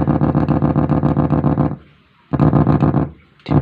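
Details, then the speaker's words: Faulty echo/reverb unit in an audio amplifier: fast even stutter of endless repeats, cutting out when the output is pulled; master usually fine, fault usually in the three-part delay block. "Nah, kalau masih bunyi seperti ini berarti biasanya masternya tidak apa-apa, tapi yaitu kerusakannya ada di 3 bagian blok ini lur, 3 bagian blok ini."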